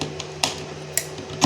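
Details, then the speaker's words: RHINO IGBT welder with a weak arc, PWM suspected, IGBTs already removed, powered through a bulb as a safety load: a few sharp dry clicks at power-on as the soft-start relay pulls in normally and the green power lamp lights. "Oke ada bunyi relay cetik tadi terus ini lampu hijau power nyala menandakan eh Power sudah nyampai sini ya"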